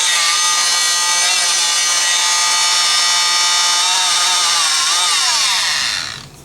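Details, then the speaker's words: Rockwell Sonicrafter oscillating tool after replacing the cracked resistor and two related resistors in the speed control circuit: buzzy whine holds, then wavers, sags and drops out. Erratic speed. "so let's see still moving pretty fast but uh I can't hold it I don't really know what it's supposed to act right but it yeah that's probably not normal"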